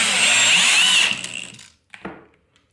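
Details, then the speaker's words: Drill driver on torque setting 2 driving a screw beside an impact driver: motor whines steadily under load, then drive cuts out abruptly with trigger still held; clutch slipping at the low torque setting. "i'll adjust this one here on to number four we'll try it again same thing side by side and you can hear how that's just cut out now i've still got my finger on the trigger"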